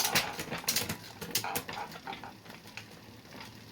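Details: Bicycle after rear derailleur adjustment and limit-screw setting: crisp metallic clicks and light chain whirring as gears shift cleanly up and down, with no rattling or jumping.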